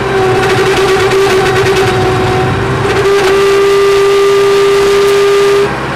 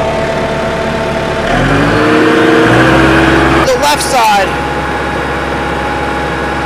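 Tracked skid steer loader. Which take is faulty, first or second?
first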